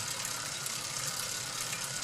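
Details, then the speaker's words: Worn, dry bicycle chain: steady gritty rasp and light rattle, noisier in some gears, possibly partly from cross-chaining; chain too noisy and might squeal under more load. "Well, that very well may be due to cross chaining to some degree, but the chain is just too noisy, and if I put some more load on it, it might start to squeal."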